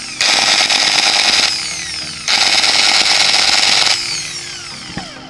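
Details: Makita 9553B angle grinder after repair of rough running and fast overheating: two clean full-speed runs with a steady high whine and smooth spin-down each time; grinder sounds healthy.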